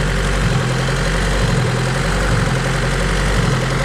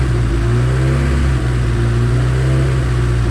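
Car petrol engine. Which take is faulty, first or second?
first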